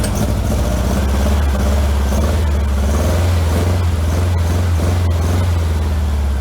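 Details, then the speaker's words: 1956 VW Bug with replacement 40mm IDF/HPMX carbs, driver-side carb linkage disconnected and doing nothing, passenger-side carb worked by hand: deep flat rumble blipping up and holding, sounds weak; engine running on one carburetor only. "that's me operating just the passenger side carburetor now the driver's side [Music] is doing absolutely nothing at all"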